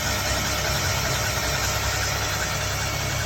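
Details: Mini at idle: lumpy, uneven beat with occasional stumbles under a steady hum; misfire at idle, cause (spark, coil or valve) unknown.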